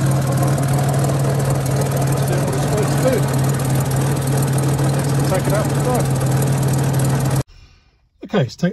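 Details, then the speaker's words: 1961 Jaguar Mk II 2.4 manual overdrive, fully warm, heard under the bonnet with the bottom off: steady loud even idle with a faint soft puffing beneath it, a suspected manifold-to-downpipe gasket exhaust leak, present cold and hot. "But I said it was when it's cold, but even when it's hot, I can still hear a very slight chump from usually the manifold down, the manifold down pipe gaskets. It's not intrusive, but it is there."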